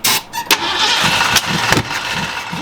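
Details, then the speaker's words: 1968 Mustang with a new fuel hose, fuel system dried out from sitting: short bursts of cranking with a single kick that never catches into a run; hard starting. "I mean, we got a new fuel pump. I mean, fuel line. Everything is just dried out. We're trying to cycle things through."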